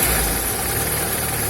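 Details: Car after repair of underbody rattle and vibration from a gravel-road hit, suspected sump guard: steady, even engine hum with no rattle or buzzing underneath; runs smooth and quiet.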